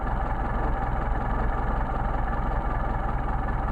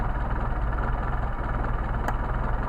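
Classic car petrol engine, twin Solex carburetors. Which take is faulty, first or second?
first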